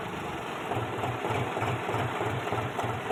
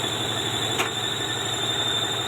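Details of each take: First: Old-model John Deere 5103 tractor, checked after a clutch problem was repaired: even diesel idle thumping about three times a second, with no squeal, chirp or rattle from the clutch area. Clutch quiet. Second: Old-model John Deere 5103 tractor at diesel idle: a steady high-pitched squeal appears when the clutch is pressed and stops when it is released, indicating a worn clutch release bearing; gears also not engaging properly.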